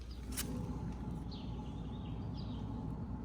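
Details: 2004 Ford Focus SE with rear drum brakes, rear wheel raised and spun by hand: steady low rough rumble, the growl of a bad rear wheel bearing, louder inside the car.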